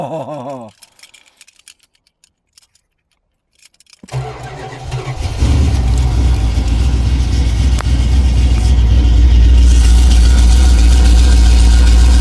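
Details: 1987 Chrysler Fifth Avenue, not run for about 6 months, January cold start with choke on after a couple of pedal pumps: short crank, catches at once, then a steady, even low idle with no miss. Normal cold idle.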